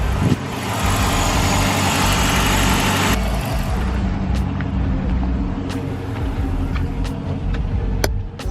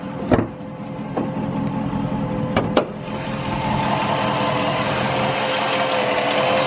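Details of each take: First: Chrysler/Dodge Hemi V8 idling after alternator replacement, charging at 13.9–14 V (was 11.9 V): steady low rumble, no whine or grinding; the charging system sounds healthy. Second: Chrysler/Dodge Hemi V8 idling with a thin, steady whine from a failing alternator; battery light on, voltage dropping to about 11.9–12.6 V instead of 13.5–14 V.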